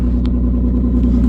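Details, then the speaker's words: 2016 Nissan Maxima, 301,000 miles: loud, deep raspy drone with steady pulsing rumble at idle, far too loud for stock; exhaust blowing through a rotted hole on top of the pipe; exhaust leak. "Uh it's really loud. The exhaust on this rotted out in a real real bad spot."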